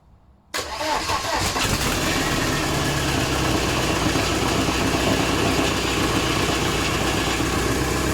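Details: VW AHU TDI diesel on garage floor before fitting into T25/T3 camper, started cold: catches after half a second and settles into a steady, even idle clatter with no stumbling or excessive smoke; runs healthy.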